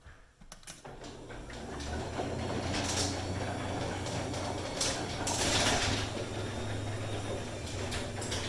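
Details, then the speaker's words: Garage door (9x7 full view, CHI 3295) opening with clinky, clanky metal clunks from stock metal rollers in metal tracks, before replacing them with bearing rollers. "all right there we go you get like this clinky clanky clunky sound going on so i'm gonna change the rollers out and you're gonna hear a huge difference"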